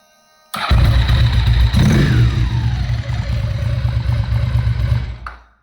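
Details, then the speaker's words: Ducati after upgrading the starter cable for better electrical contact: starter barely turns before the twin fires at once and settles into an even, deep, throbbing idle; normal quick start. "Sure. Hardly start touch the button, and it starts."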